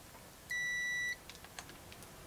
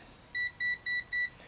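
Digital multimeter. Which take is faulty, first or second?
second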